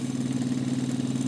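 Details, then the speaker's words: Sony TC-252D stereo tape deck with a reel of tape running after cleaning and greasing: steady low hum with a slight fluttering waver, probably normal wear; owner suspects a flat spot on idler wheels. "now time you put the reel of tape on and listen to that noise along with that noise it's probably a normal noise I mean not that bad when it was new I'm sure"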